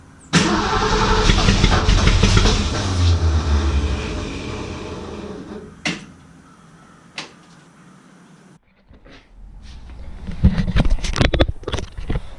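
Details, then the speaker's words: 1967 Mustang 289 V8, first start after rebuild, timing not yet set. Cranks, stumbles and coughs unevenly, then quits. Plug wires fitted clockwise but distributor spins counterclockwise, firing order reversed. "guys I'll be honest with you first fire up sucked recent being is I didn't pay much attention and the distributor on this tuning on spins counterclockwise well when I put the plug wires on I put them on clockwise so it's firing completely opposite of what I needed to"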